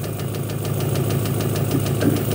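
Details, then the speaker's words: Honda 3.5 L V6 at idle, valves already adjusted: light quick ticking about eight a second over a steady idle, less prominent as rpm rises. Suspected ignition timing or weak compression in one cylinder; later traced to the knock sensor. "timing not right it could be from out so weak compression in one cylinder valve prm's has been done to do that again and it's an idle only as soon as this goes little higher it goes away"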